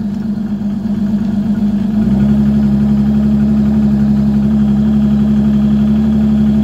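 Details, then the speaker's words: 2018 Evinrude E-TEC 150 outboard on ear muffs, in gear with aftermarket Uflex cables: even drone abruptly steps up in pitch and holds as sticky throttle lets revs jump. "ready to get it up a little more the races that's right again begin gear just very touchy you can hear racing"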